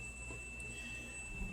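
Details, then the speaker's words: Beautyhealth BC-07D massage chair: when any program is selected the back rollers stay at the bottom and only bounce; steady high-pitched electronic whine over faint low thumping, while the legs and air cushions work fine. "But this just bounces. It just bounces. That's all it does."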